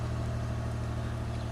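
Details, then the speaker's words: 2003 Pontiac Grand Am 3.4 (LA1) V6, cold start after reassembling the mount, power steering pump and cruise module during the misfire repair: a smooth, even idle pulse with all cylinders firing cleanly and no stumble; much better than before. "Alright, let's start it up. Huh, sounds better already. Wow."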